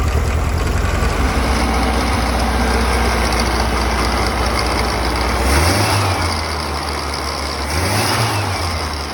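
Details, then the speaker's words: 1964 Karmann Ghia 1600 engine with replacement carburettor, after linkage modification, with a history of not idling below 1500 rpm and stalling: uneven idle with steady hiss and light rattle after throttle blips; vacuum leak plus loose alternator. "linkage issue solved but I can hear a vacuum leak somewhere as well as a [Music] rattle"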